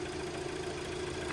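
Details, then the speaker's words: 2003 Audi A3 2.0 petrol, unstarted for 10 years, idling minutes after first start once the auto choke came off: steady idle with an even beat and faint hum; normal idle. "Okay, so the auto choke's just come off. That's incredible. Not started in 10 years and it's just fired up straight away."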